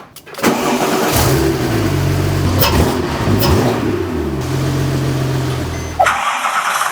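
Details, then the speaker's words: Crashed Porsche 997 911 Turbo rebuild, running without intercoolers and intake piping, oil pressure good: cranks, catches, idles unevenly about five seconds, then dies; owner assumes missing intercoolers and intake piping cause the stall. "the car would start up in idle just fine but after a few seconds and that really varied it would shut off and I assume this is because of the lack of intercoolers and intake piping"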